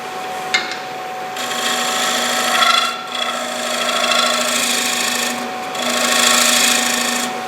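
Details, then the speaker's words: Lathe finishing a dried, faceplate-mounted bowl rim with a less-than-90° scraper at 45 degrees, light cut: rasping bursts with hum rising under pressure; the scraper chatters (harmonic). "you can hear a little bit of harmonic whenever i put pressure on"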